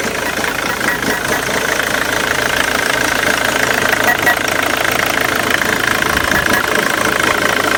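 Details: 2006 Ford Mondeo 2.0 TDCi Titanium diesel at idle. An uneven, lumpy beat about twice a second over steady clatter, cause not identified: rough idle.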